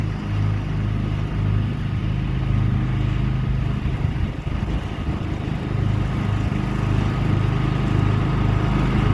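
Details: John Deere 325 lawn tractor mowing after a push-button start was installed to replace the failed ignition key switch; steady, even low drone under load, no misses, knocks or surging, engine running healthy.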